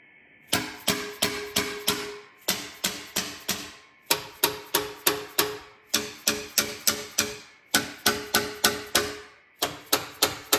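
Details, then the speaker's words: 1970 Plymouth Duster 225 Slant Six, off the road 26 years, valve cover off, rockers tapped by hand before first start: sharp crisp metallic taps in bursts as the valve slams shut against the cylinder head, free and not stuck. "hear that that's that valve slamming against the cylinder head you want that"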